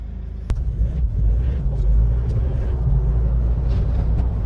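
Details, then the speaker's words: Rebuilt Mahindra Scorpio diesel on road test drive: steady low engine drone under road rumble with one brief tick, no turbo leakage hiss or other rattles, smooth like a petrol car. Normal running. "Extra কোনো sound নেই, না turbo leakage আছে, turbo লিকেজের sound আছে, না others কোনো ট্যাকটাকানি কোনো sound আছে। একদম স্মুথলি পেট্রোল গাড়ির মতন পুরো সাউন্ড হয়েছে গাড়িটা।"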